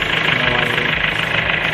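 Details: 2005 Kia Sorento D4CB diesel, hard-starting case (needed throttle to start; DTCs P1616, P1183, P1188, P1190, P0193) marked solved: steady, even diesel clatter at idle with a smooth fast pulse and no misses or knocks; idling healthily.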